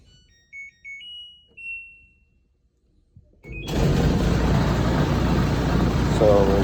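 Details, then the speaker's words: LG electric dryer running: deep, steady loud rumbling once the drum turns; suspected worn drum guides, not confirmed. "getting this loud rumbling Bo and what we're thinking is that it's got bad uh guides so we're going to go ahead and take a look at this and uh get this fixed"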